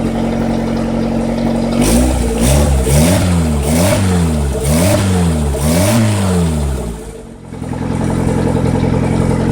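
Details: Turbo D15 car at high RPM: engine speed swings up and down about every half second for several seconds, then settles; high-RPM surging, suspected bad Walbro 255 fuel pump, not confirmed.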